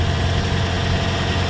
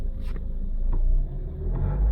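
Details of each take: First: 2008-2013 Toyota Corolla after fixing an underbody exhaust rattle (previously at slow speed, gone by about 40 mph): smooth, steady low idle with no rattle or shake; normal. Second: 2008-2013 Toyota Corolla at startup: engine revs briefly over a deep rumble with loose metallic clicks and rattles underneath; rattle occurs at slow speed and stops around 40 mph; exhaust heat shield came loose where a washer fell off.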